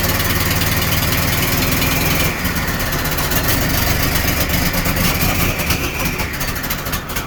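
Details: Chevy S10 street rod with turbo, just started after crank attempts: lumpy unsteady idle with irregular beat and hiss over the top; rough running, owner suspects one carb running rich and the other lean.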